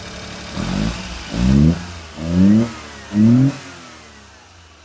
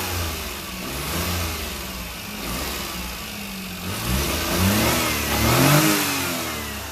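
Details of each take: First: Lifted 4x4 mini truck with dump bed running with the air filter lid removed: four quick throttle blips climb cleanly and fall back to idle without stumbling; revs freely, though the owner suspects mouse debris in the frame intake chokes it with the lid on. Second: Lifted 4x4 mini truck, air filter lid on, frame-routed snorkel intake likely plugged with mouse debris: idles but revs climb sluggishly and sag on each throttle blip, trying to die; engine starving for air.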